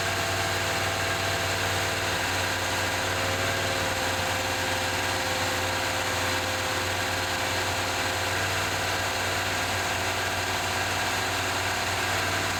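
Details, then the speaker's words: 1978 Chevy C10 square body V8, long-sitting, running on 4–5 gallons of fresh gas: a steady, even, smooth low rumble with no knocks or misses. Runs well, though the oil pressure gauge didn't move and there is a suspected transmission fluid leak. "But hey, it runs pretty good."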